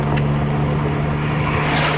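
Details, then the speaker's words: VW Caddy driving after a suspension repair: a steady road and engine drone with no knocks or clunks from the front end, so the suspension knock is gone. A faint ticking from the rear is still suspected and needs checking. "по ходовій стук перестав, взагалі он файно йде, нічого не гримить."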